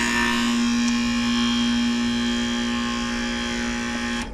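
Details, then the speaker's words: Outdoor AC condenser fan motor, not turning: a steady loud electrical buzz-hum with no airflow whoosh that cuts off abruptly. Its 40/5 capacitor was to be checked next. "I think that was like the type of noise, and it just kept doing that. Well, that fan was not working."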